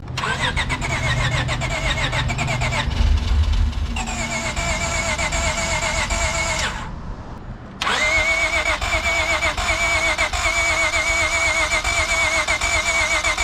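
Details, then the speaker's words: 2012 Acura TL V6 with catback exhaust, high-flow cats and Ktuner, cold first start after swapping in a junkyard engine for a blown 3.7L: brief crank, catches and settles to steady even idle with light throttle blip; runs cleanly, smells of fuel. "sounds good are you giving a gas sounds really good yeah it's cold smells like fuel it's let it idle"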